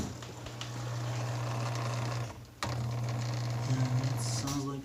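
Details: Dishwasher 120 V AC drain pump, removed from a leaking unit and bench-tested: steady low hum holding even, briefly dipping and returning; pump motor not stuck, turns freely and runs normally.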